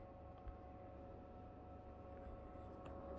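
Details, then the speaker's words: Gaming PC running the game Stalker: a thin steady high whine sits over the low fan hum. It disappears when the game is paused and is absent in Fallout 4. Electrical whine under load, source unknown. "я нажимаю паузу он пропадает это только в игре stalker"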